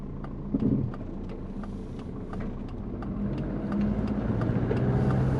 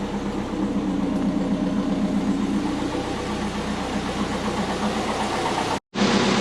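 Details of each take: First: Twin-turbo Subaru Forester with GT35 turbo, driving at light load, 83 degrees, transient throttle not yet enabled, after tune corrections: quick, uneven chirping flutter about four a second over engine drone; runs better but turbo flutter remains, cause not yet found. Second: Twin-turbo Subaru Forester on jack stands after spark plug check and tune corrections, running a bit rich: engine revs cleanly and evenly off idle with no stumble; idles higher and smoother, all four cylinders firing properly, normal revving.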